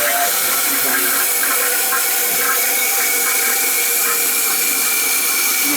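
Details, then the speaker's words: Old toilet: continuous hissing rush of water that never stops after the flush, because the flapper chain is hooked and bound up so the flapper won't seal. "see this is exactly what's happened I see all that's hooked on there yeah and it's not shutting you see how it hooks"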